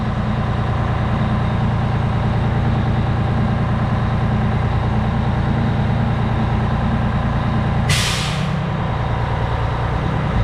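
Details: Fire truck Detroit diesel just after oil and filter service, started in the station with the exhaust fan running, oil pressure 65 psi: even, deep diesel rumble at steady idle with one short air-brake hiss; normal, healthy diesel idle.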